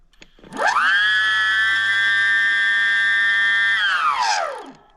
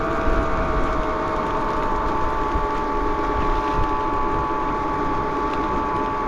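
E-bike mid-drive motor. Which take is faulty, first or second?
second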